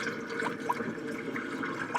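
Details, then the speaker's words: Kitchen sink drain after installing a new Badger 100 garbage disposal, plug pulled with sink a third full: quiet steady trickle and gurgle, no gulping or backing up; normal flow, no leaks. "So we're going to pull the plug and check our magic here. I can hear it going through here. That's good. That's good."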